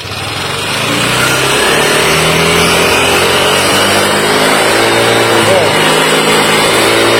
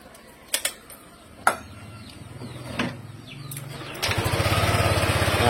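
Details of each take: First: Yamaha Aerox scooter (owner also names NMAX) with new cylinder block set: light, uneven rattling tick at lower revs over the revving engine, gone once the VVA engages and smooth at high rpm. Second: Yamaha Aerox scooter after replacing the faulty rr part (earlier suspicion confirmed) that caused a rattling noise from the front of the engine at certain RPM: clicks, then engine starts and settles into a smooth, even idle, no ticking.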